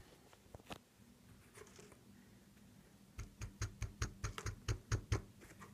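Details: Seiko SNK809 watch with 7S26 automatic movement: light dry clicks in a loose burst of about a dozen as the watch is moved, a rattle from the winding rotor; suspected loose rotor.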